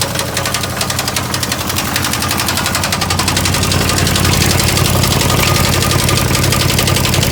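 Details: 1989 Chevy Caprice Classic at idle: sharp, regular knocking about three per second, steady throughout, every time it's started; source still not found.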